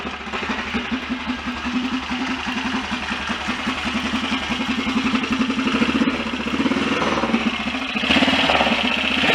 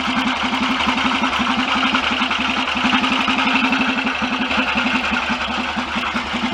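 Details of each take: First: BSA DBD34 Gold Star 500 scrambler single, after carburettor work: even idle about four beats a second, revs rising near end, earlier dry scraping gone, likely something just touching; normal idle. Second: BSA DBD34 Gold Star 500 scrambler single, after carburettor work, idling: loping beat with a dry rub that just appeared; cause not confirmed; rubbing noise.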